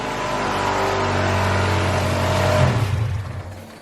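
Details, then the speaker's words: Honda Civic B16A with freshly installed injectors, revving in a clean, even climb and drop with no hesitation; injectors pulse well and there are no return-side leaks. Normal revving. "injectors all sound like they're pulsing pretty good i don't see any leaks with the return side of things"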